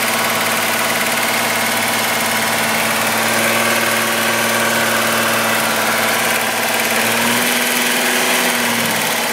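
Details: VW Golf VR6 2.9, 103,000 km, steady idle: a constant dry rubbing, scraping sound over the engine. A chain-like rub worsened after the owner replaced the upper hydraulic tensioner screw. Suspected timing chain dragging.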